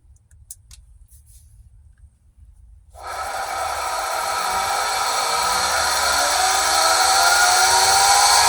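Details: Pentair SuperFlo VS 1.5 HP pool pump: silence, then a loud high-pitched screech from three seconds, climbing in pitch and volume; cause unknown.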